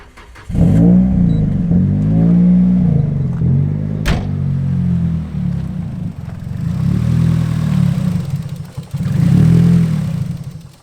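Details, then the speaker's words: Nissan Silvia S14 (EBISU), MAF reconnected: lumpy, uneven idle wavering around three beats a second, worse than before; idles properly with MAF unplugged, stalls with it connected, so suspected bad MAF signal or a leak. "I mean, that's worse. We think maybe the MAF sensor's not quite right because, yeah, like I said before, when we disconnect it, the car actually runs, well, it idles properly."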